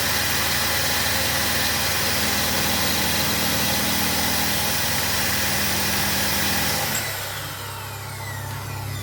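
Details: 2015 Renault Logan after alternator repair for bearing noise and not charging (piloted alternator, excited with a lamp), engine running: steady, no grinding or bearing growl, sound shifts as charging load comes on; alternator charging and healthy.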